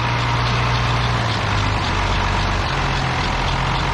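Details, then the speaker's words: Ford TW-20 tractor, very cold, sluggish temperature gauge with suspected electrical fault: steady low diesel idle with faint light ticking; owner suspects the fan catching, cause not confirmed. "It's like chipping noise too now, I think it's like fan catching."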